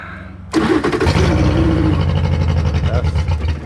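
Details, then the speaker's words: 2011 Yamaha T50 outboard, run without water, before repair: catches then runs rough and lumpy, stumbling firing beat; running rich. "Alright, y'all, we got a 2011 Yamaha T50. It runs like crap."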